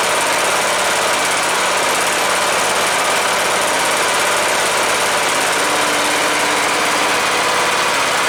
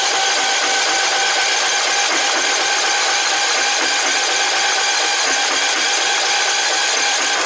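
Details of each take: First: Cub Cadet LTX 1045 Kohler Courage single-cylinder engine after counterbalance repair for knock caused after running with no oil, fresh oil: steady constant-speed run, no knock or rattle over exhaust; normal running. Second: Cub Cadet LTX 1045 riding mower engine, first start after purchase: it began knocking while mowing and was found with no oil on the dipstick before oil was added. A loud, harsh, rapid, unbroken clatter, first taken for a rod knock, turns out to be a loose counterbalance weight knock.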